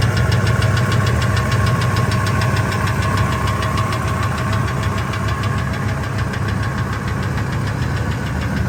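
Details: 1999 Ford F250 V10 petrol in park at 600–1800 rpm: light, fairly regular tick about three per second that comes and goes, loudest near the flex plate, gone above 1800 rpm; injectors and coils replaced, EGR deleted, headers checked; source not yet found.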